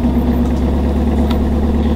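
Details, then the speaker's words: 2018 Camaro 2SS 1LE V8 with NPP exhaust on cold start: deep idle near the tailpipe with a faint metallic jingle over the rumble, the known 6th-gen NPP exhaust rattle. "can you hear that little rattle that little jingle okay now a little bit closer to the tailpipe now and right around now you can hear that little jingle that's the sound that we hear"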